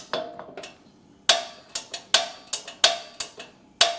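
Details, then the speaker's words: Blackstone Culinary 17-inch tabletop griddle after tightening a loose igniter screw to restore the gap, propane bottle on, gas flowing: sharp dry clicks, some doubled, about twice a second without lighting; spark seems too weak. "Doesn't seem like that spark is strong enough."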